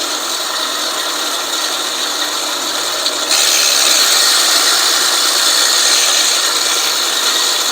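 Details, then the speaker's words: California Trimmer RL205H 20-inch 7-blade reel mower with a Honda GX120, backlapped in reverse with 80-grit compound. The reel's whir against the bed knife turns brighter and freer as the compound wears in and the blades sharpen. "it's definitely spinning a lot Freer and the sound has completely changed"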